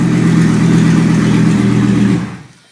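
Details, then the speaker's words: 2004 Colorado 3.5L five-cylinder running on a pallet with a minimal wiring hookup, dropping from high idle to a smooth, even idle with no knocks or misses, then shut off by unplugging ignition; relays click and throttle closes. "It'll come down off high idle in a second here. There we go. It's sounding so much better now. Nice and smooth."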